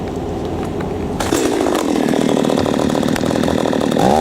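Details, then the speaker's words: Petrol chainsaw with its carburettor high-speed screw turned in: it idles, then revs hard with a thin, strained buzz that never builds power, gutless and slow at high speed; lean high-speed mixture. "as you saw when it becomes gutless I unscrewed it quite a bit it becomes very slow to go when you're on the high-speed"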